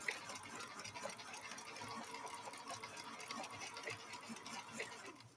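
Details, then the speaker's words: Viking Husqvarna 3230 sewing machine, rescued after smoking, stitching in slow gear at one fifth of regular speed; soft, slow, even clatter of the needle mechanism with no knocking or binding. Normal running in slow gear. "You hear how different the machine sounds. Listen to that machine run. You can tell that it's been geared down. So instead of running at full speed, it's now running at 1/5 of the regular speed."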